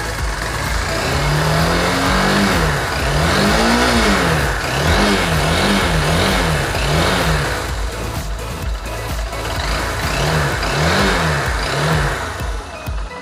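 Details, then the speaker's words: Motorcycle after timing chain tensioner adjustment, repeated throttle blips: revs rise and fall cleanly with no chain rattle or tapping; the noise customer feared was timing chain or internal engine is gone, fixed by tension change alone. "आप सुन सकते हैं पूरी तरीके से हमारा sound ख़त्म हो गया। सिर्फ हम टेंशन चेंज किया, साउंड ही तरीके से साउंड पूरा ख़त्म हो गया।"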